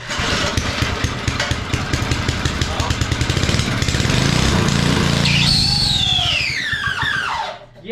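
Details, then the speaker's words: Lawn edger started after car cleaner spray with air filter open: small engine runs rough, then a loud high scream sweeping down in pitch as it slows, attributed to the recoil starter squealing. "But that is the screaming I was talking about. It's not the prettiest sound. Definitely an ugly sound."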